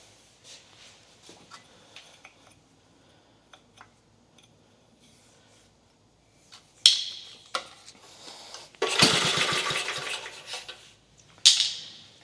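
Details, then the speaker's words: 1950 REO engine, pull-start attempts after refilling fuel, fixing a leaking fuel fitting and removing the air cleaner with choke up: hard pulls with brief chuffs, engine turns over and tries to fire but doesn't catch yet; cranks but does not start. "sounds like it wants to start oh"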